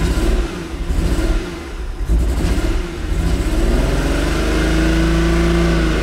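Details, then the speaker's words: Engine revved after a bad trace on the ECU board was repaired: idles better but still misses as revs climb, with uneven stumbling and dropouts; owner suspects the ECU capacitor/resistor circuitry and may order another ECU. "you can hear it how's a miss still so I may end up ordering another ECU"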